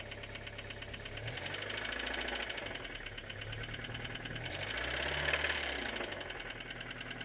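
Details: Engine knock at quiet idle: sharp ticking knock repeating roughly three times a second, loud in the upper range; cause not clear.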